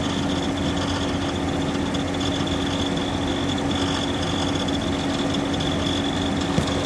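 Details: Subaru Outback 3.6R at idle: constant buzzy metallic rattle over the engine hum, unchanged throughout; cause not known.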